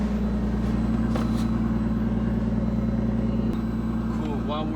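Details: R33 Skyline GTS-T, nearly 30 years old, after DW300 fuel pump install with new lines and gaskets, heard from back seat: smooth, steady idle, even low hum, no ticks or knocks; pump barely audible; normal idle, no leaks.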